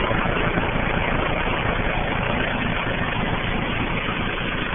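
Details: Rheem 13AJN 5-ton condenser, installed a week earlier, makes a heavy low rhythmic chopping of about three beats a second over its steady run, sounding like a helicopter taking off. Abnormal noise.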